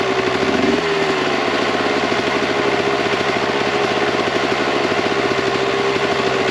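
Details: 1998 Kawasaki KX125 two-stroke, rebuilt OEM carb on stock jetting (42 pilot, 160 main): crisp, fast buzz at a raised idle with a slightly burbly, uneven note; too rich with too much smoke, so jets are being reduced to 38 pilot/158 main.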